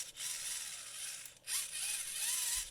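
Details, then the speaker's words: VEX Robotics 393 motor reassembled after cleaning, lubrication and lubing the bushing, turned by hand. Light, smooth, high-pitched whir with no grinding and no more of the earlier "snoring." This is a quiet gear train. "here's the reassembled motor properly cleaned and lubed up and prepared now with that bushing listen to it"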